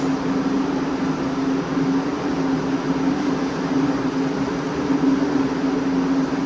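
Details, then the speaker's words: Freshly rebuilt Ford FE 390 big block for a '67 F100, running on the dyno with Aces EFI: steady, full, even roar with no knocks or misses; healthy running. "Big blocks sound good. Big blocks sound good. That sound real good. Fired right up, boys."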